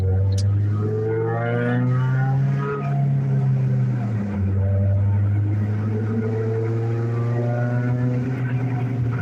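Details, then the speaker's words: Car driving with a loud, low droning hum that shifts in pitch with road speed, from a badly worn wheel bearing. "You guys hear how bad that wheel bearing's gotten on the car. That's why I say I don't think it'd make the 120 mile round trip."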